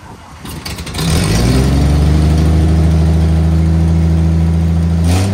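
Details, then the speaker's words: 1974 Toyota FJ40, barn find not run or driven in about five years, starting for first drive, no brakes or temperature gauge: loud lumpy idle with deep puffing rhythm; big exhaust leak under the hood. "so yeah no break uh no temperature gauge and some sort of big exhaust leak under the hood"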